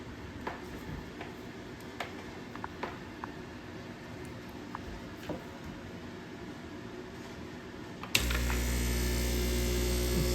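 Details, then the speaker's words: Breville Barista Express BES860XL espresso machine, reassembled after a pump fix for intermittent odd noise and low pressure. After light ticks, the pump kicks in with a steady, even low buzz, better than before. Normal pump operation. "Sounds better than before, but let's run the water."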